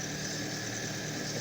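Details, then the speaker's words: Fiat Strada 1.4 Fire idling after a half-turn start, holding about 3.5 bar fuel pressure; the fault is slow restarting after driving a while. Smooth low hum, even, no stumbles or knocks. Normal idle. "Queda parejita. Sí, mantiene perfectamente la presión de combustible."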